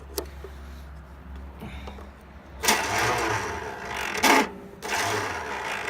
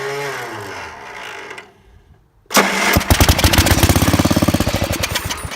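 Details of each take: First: Small engine started on carb cleaner via battery cables, no ignition switch: short bursts of strained, uneven cranking with chattering starter motor; starter failing, engine then runs well. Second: Small splash-lubed engine with good compression, delaminated head gasket, faulty starter, started on carb cleaner via battery cables: after cranking and a pause it fires and runs with a steady, even thump, about three or four beats a second, running well.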